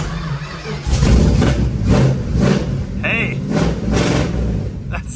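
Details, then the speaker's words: 1973 Dodge Challenger big-block V8 with HEI, fresh spark plugs and idle screws adjusted, cold start without choke: catches and settles into a steady, very high cold idle with all eight cylinders firing evenly; healthy start. "sounds pretty good. Not perfect, but it sounds like 8 happy cylinders, so that's a good start. One might expect cold starting a big block with no choke to be a little rough."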